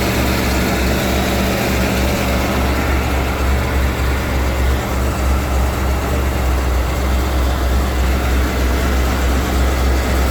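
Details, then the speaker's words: 1991 Ford E350 cutaway van, 5.8L V8, in-tank and inline high-pressure fuel pumps, first cold start at about minus 20: deep steady rumble at cold idle, even firing, no misses or knocks; starts and idles fine. "Alright, it's like fucking minus 20 outside. And this is gonna be the first time I try to start this thing today."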